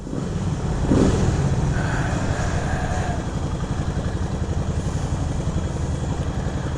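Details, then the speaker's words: 1975 Moto Morini 3½ twin after preservation work, idling: lumpy twin-cylinder beat with light dry chatter from the dry clutch, like a Ducati; normal dry clutch rattle. "you can hear the dry clutch on it the dry clutch is uh makes a like on a Ducati it has a little bit of a chatter to it"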